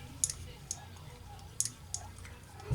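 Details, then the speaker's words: Saito FA-40a four-stroke model engine turned slowly by hand, has no compression: scattered light ticks, five or six in three seconds, normal cam followers dropping. "just the sound of the cam followers dropping in in here that's a normal sound for four-stroke engines"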